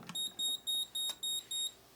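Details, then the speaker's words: Moose Z1100e alarm panel in a demo briefcase, armed and on exit delay: short high keypad beeps repeating evenly, about three a second, confirming arming. "sometimes you'll see the keypad go blank sometimes you'll see it beep it does all kinds of weird things when it's reporting"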